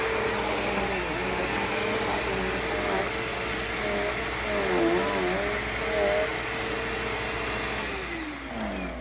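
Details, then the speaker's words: Bissell CleanView PowerTrack Deluxe upright vacuum after power cord replacement: steady mid-pitched motor whine, even speed, no grinding; motor healthy and brush roll not binding despite a worn belt. Normal running. "Doesn't sound too bad. Motor sounds nice and healthy. Brush roll, it's not binding up or anything, even with that bad belt on it."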